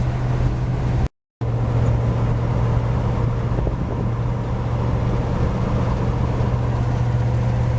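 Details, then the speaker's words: 1949 GMC 100 with 350 V8, timing set back from 13.8 to 12° BTDC to cure ping, cruising about 1,800 rpm at 45–46 mph: steady, even drone under road noise, no pinging or misses. "I don't know if y'all can hear it or not, but it's hitting every lick. About 1,800 RPM."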